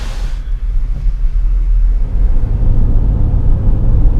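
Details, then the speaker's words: 2003 Ford Taurus 3.0 V6 after replacing the spark plugs and plug wires to cure a misfire: deep, steady, even rumble with no stumble; runs smooth, purring, misfire gone. "It feels like it's running really smooth, it's purring. I think it's pretty good."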